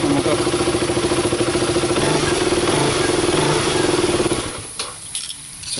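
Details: KTM RC 200 single-cylinder motorcycle with burned termination unit temporarily bypassed after a no-start: engine holds a steady, even idle for about four seconds, then dies away; starts and runs.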